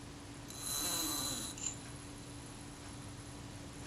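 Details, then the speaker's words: Kodak Retina Reflex IV shutter retard gear train, run after solvent cleaning: about a second of smooth, even high buzz running down cleanly with no hesitation; healthy. "I'm listening and watching to make sure that the action is smooth, doesn't hesitate. It all sounds good."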